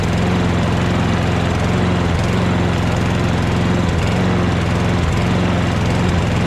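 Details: Toro Recycler mower with Kohler XT675 engine after the loose front part was bent back, reinstalled and cushioned with silicone at the tabs; steady drone without front vibration rattle, but slight speed dips, engine still surges.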